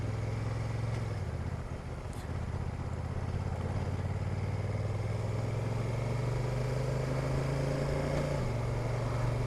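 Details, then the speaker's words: Honda NT1100 DCT at low speed entering a small roundabout: even twin drone under road and wind noise with sudden pitch step; clunky dual-clutch gear change just before turning in. "here's one of the situations where i wasn't so happy with it entering a smallish roundabout and it making a clunky gear change just as i'm about to turn in"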